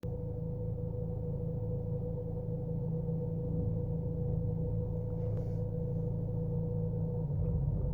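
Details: Chevy Cruze petrol engine idling roughly, with an uneven stumbling rumble from a misfire. The car shakes, far worse in D than in N.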